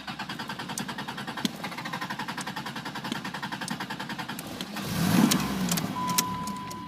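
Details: Chrysler New Yorker: steady fast starter chatter around three and a half turns a second, engine never fires, then cranking fades out; cranks but won't start.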